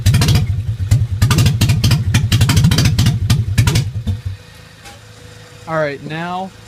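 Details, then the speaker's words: Nissan 300ZX whose timing belt jumped, started on jumper cables after the cam gears were reset to their timing marks. It fires lumpy and uneven, missing badly for about four seconds before dying. The owner suspects bent valves. "i've ran it for a little bit ran like crap there's definitely probably valves bent"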